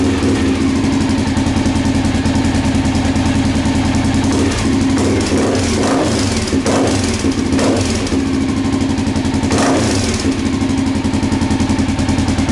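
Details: Rebuilt Honda XR650L single-cylinder with new camshaft, Uni filter, FMS header and White Brothers full exhaust, carburettor jetted to match; loud even thumping idle with a few crisp throttle blips, no misses or rattles, healthy.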